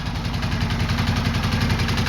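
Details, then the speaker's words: 2005 Suzuki Boulevard C50T V-twin idling: quick light "angry sewing machine" ticking from the front cylinder, owner suspects valve clearance and plans a valve adjustment, unconfirmed; valve train ticking. "hey YouTube so today I'm working on the boulevard we've got the notorious angry sewing machine sound coming from the front cylinder front jug"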